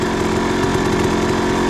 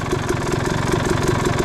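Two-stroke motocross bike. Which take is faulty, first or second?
first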